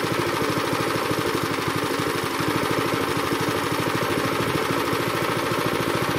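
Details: Zipper plate compactor that had smoked, run unevenly and stalled, after cleaning and flushing the fuel system and fitting a strainer, started on choke: the single cylinder runs smooth and even with a steady quick firing beat and no misses or surging, healthy.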